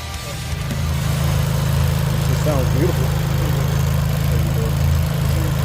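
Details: Chevy Cruze Gen2 just fitted with a Bad News Racing hybrid TD025 turbo, turbo primed after install: smooth, settled low idle with an even rumble and no whistle, rattle or hunting. Normal idle.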